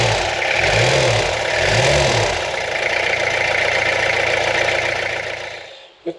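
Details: Restored Peugeot P4 army jeep diesel at first start since restoration, after glow-plug preheat, in neutral: engine catches, takes two smooth throttle blips, settles to steady idle, then shuts off. Normal running.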